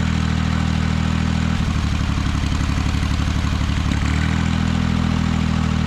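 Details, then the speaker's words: Ventrac 4500Z tractor with a failing cylinder 1 ignition coil: a smooth idle turns into an uneven, pulsing chug when the number 1 plug cap is pulled, mimicking the power loss seen after about 30 minutes warm; engine running on one cylinder. "I'm going to crank the tractor. It's going to run perfectly smooth. And then we're going to pull this spark plug number 1 cover off, and you're going to hear it with a noticeable change, and that is the symptom I was having after about 30 minutes or so running the tractor."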